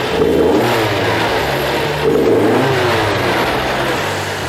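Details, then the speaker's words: Restored 1975 Toyota Celica Liftback 2000GT with a rebuilt engine: it picks up cleanly as revs rise and settles smoothly, with an even note and no rattles or knocks; idle is steady around 1000 rpm, with minor adjustment still pending. "気持ちいい素晴らしいよね。"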